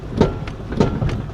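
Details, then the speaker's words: 2000 Toyota Camry V6, 292,083 miles, misfiring with shot motor mounts, while driving: sharp pops about every third of a second from the front suspension over low road rumble; cause unknown. "There's something wrong with the suspension. Oh, good god, man. This is This is brutal. Something is popping under the front end."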